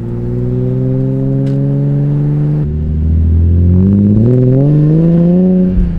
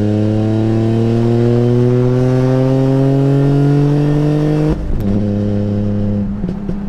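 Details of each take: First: BMW E46 M3 straight-six with RKTunes and six-to-one exhaust: deep smooth drone climbing cleanly with revs, sounding like a single-turbo inline six from about 1,000–5,000 rpm then the signature M3 sound at high rpm; healthy, no misses. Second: BMW E46 M3 straight-six with RKTunes: rev climbs smoothly then turns ragged with stumbling pops, struggling to accelerate; possibly missing cylinders, service engine light on.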